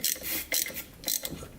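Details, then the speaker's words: 2007 Yamaha YFZ450 quad sitting unused, crank turned by hand, WD-40 in cylinder: gritty, crunchy ratcheting bursts about every half second; rough internal rotation, cause not yet known. "hear a little crunchiness it's rotating and put some wd-40 down the cylinder just sounds kind of crunchy"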